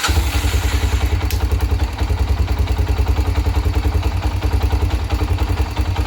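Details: 1997 Honda 300EX single-cylinder after oil change (about 1 3/4 refilled): thumps along at an even, steady idle of about three and a half beats a second, no knocking or rattles; running fine.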